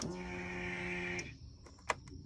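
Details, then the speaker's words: 2005 Polaris Sportsman 700 EFI ATV, ignition on without cranking to prime a new Quantum in-tank fuel pump, regulator and filter replacing the worn OEM pump. Steady electric hum with a bright high whine for about a second, then cuts off cleanly. Normal fuel pump priming. "Okay, quantum fuel pump and fuel filter are in. Priming up the Polaris. Sounds good. I don't think I've heard that before."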